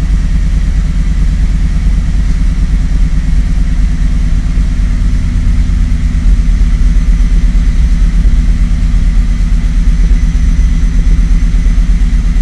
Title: Rough Idle for TGO